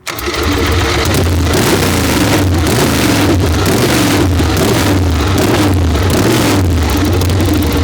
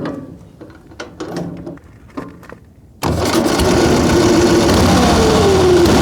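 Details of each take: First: Excelsior V-twin motorcycle "Harry", first start in 3.5 years after fitting new spark plugs (old plugs looked wet): loud uneven V-twin lope with throttle blips and crisp response; runs strong and healthy, normal running. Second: Excelsior motorcycle first started in 3.5 years on an electric starter fires after some clatter and runs loud and lumpy, as if on one cylinder; its spark plugs came out wet.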